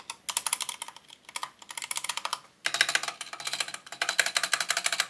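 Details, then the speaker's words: Corsair mechanical keyboard after a couple months of use: quick typing bursts with each keystroke giving a loose, tinny clack and rattle as keys bottom out and return; key rattle. "like bro that sound that rattle i don't even know what you call it but i just can't stand it"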